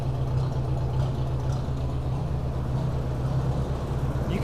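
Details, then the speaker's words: 1957 Ford Workmaster 601 (641) tractor with Marvel-Schebler TSX 765 carb, cold start at 24°F on choke, new Autolite 216 plugs: low lumpy idle with uneven beat and skipping miss pulse; misfire at idle, plugs didn't fix. "hear that kind of a Miss pulse and that's just at an idle so we're gonna go ahead and turn the fuel off and let it run itself out of fuel"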